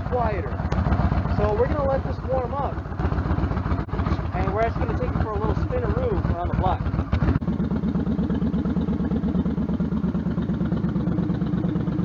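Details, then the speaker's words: Stryker V-twin idling after new exhaust header gaskets fitted, following about 11,000 miles ridden with loose header bolts, leaking headers and popping: even, lumpy idle, no header ticking or puffing. Normal idle. "and three two one I think it sort of sounds a little different it even sounds like the engines a little bit"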